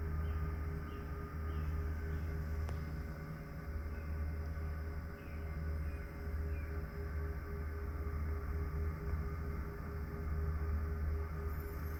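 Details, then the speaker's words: Pecron E3600LFP power station while solar charging at about 1500–2000 W: steady low hum with faint higher-pitched rotating whir on top, unchanging; normal charging cooling fans. "so you can see there is kind of a higher pitch rotating noise um I could see how that'd be annoying for some people"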